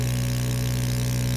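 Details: Mini 3D sublimation heat press vacuum pump pulling down the ceramic plate before a 190-degree, 360-second cycle: steady low hum at constant pitch, no knocks or rattles; running normally.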